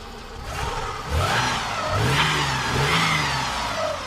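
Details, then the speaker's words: Nissan Maxima J30 engine after head gasket, valve work and timing replacement, warming with coolant being topped up: smooth pickup through a couple of revs then settles, even clean note, no knocks or misses; running fine. "Жалпы осылай әдемі істеп тұр."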